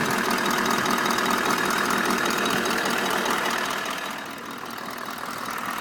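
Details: Toyota Land Cruiser 200 (LC200), warm engine: steady knock about four times a second, absent when cold, present in P, D and N, loudest at left side of engine behind the filter, not heard when driving, no power loss; cause unknown. Engine knock.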